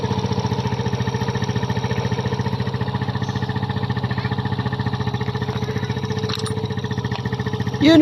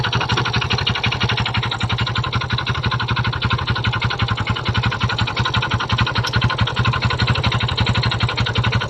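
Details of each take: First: Kymco Visar 110 scooter after a new crankshaft assembly with connecting rod was fitted to cure a rod knock: steady even single-cylinder putter at constant idle, no knock or clatter; normal idle. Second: Kymco Visar 110 motorcycle before repair: a steady rapid knock at idle, about three a second, comes from inside the engine; connecting rod knock, which was gone after a new crankshaft assembly was fitted.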